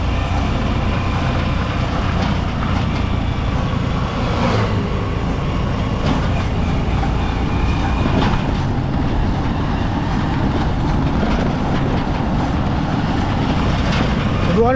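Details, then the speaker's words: Honda Supremo motorcycle, mic near chain: loud steady metallic rattle under riding rumble, source initially unknown; chain stretched riding on worn sprockets, sprocket set replaced. "mga idol no so narinig niyo naman yung napakalakas na ingay so hindi ko alam kung saan nangagaling yun mga idol no"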